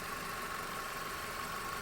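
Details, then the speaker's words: Chevrolet Beat that had been shaking at idle and stalling over speed breakers, when slowing down and in reverse, heard after repair: quiet, even hum with a faint steady high tone and no knocks or stumbles; it now idles so smoothly you can barely tell it is running. "இப்போ engine ஓடுதா இல்லையானு தெரியல, அவ்வளோ ஸ்மூத்தாக இருக்குது."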